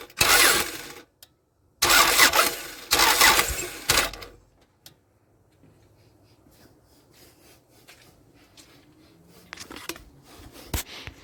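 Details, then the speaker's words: 1998 Toyota Camry, sat all winter, cranks but won't start after fuel tank and pump work; spark test shows good fire on cylinder 1, weak on 2 and 4, none on 3, owner suspects failed coil packs. Starter cranks in two short bursts, never catches. "i have noticed that i have good fire on cylinder number one cylinder number two is pretty weak there's no fire on cylinder number three at all and number four is also pretty weak so my coil packs are shot"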